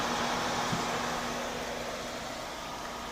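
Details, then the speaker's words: Corsair HX750 replacement power supply, other fans turned to their slowest: a loud, steady rushing whoosh with a constant whir and no grinding. The PSU fan runs at full speed. "that power supply fan is incredibly loud stop some of the fans in this video card here yeah that video card is incredibly quiet all that noise is coming from this fan right"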